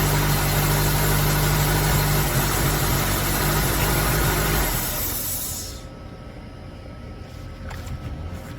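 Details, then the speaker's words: Honda Element SC, first start after swapping in a rebuilt engine: steady idle with a quick puffing tick about four a second before shutoff; owner suspects a vacuum leak. "But it sounds It sounds like it's got a bad a bad leak."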